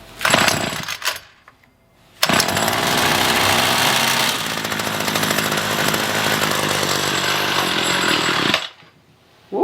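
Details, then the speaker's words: Free roadside Ryobi two-stroke string trimmer, dirty tank with little fuel, choke used: pull-start bursts then about six seconds of buzzy, ragged running before it dies; starts then stalls, carburetor cleaned next. "good it started weed eating the wall huh so it starts up and then dies right away"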